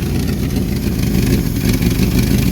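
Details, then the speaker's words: 1974 Ford Bumpside 1-ton with a 360 FE and a rebuilt Motorcraft 2-bbl carb: a heavy low rumble whose idle rises and sags, hunting; a vacuum leak or a fuel pump not keeping up is suspected. "She's hunting a little bit. Kind of indicates a vacuum leak, right? Yeah. Either that or it's running out of fuel."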